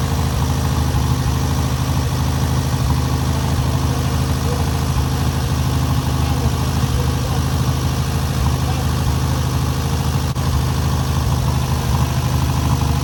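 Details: First start and break-in of newly rebuilt air-cooled VW 1600cc flat-four: steady even low drone at idle, no knocks or misses; normal idle.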